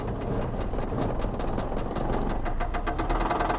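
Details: Flooded Mercedes at a salvage auction: sharp regular knocks about five a second and quickening over a rough idle, deep bottom-end knock; rod knock suspected, oil appeared overfull, possible blown head gasket suspected.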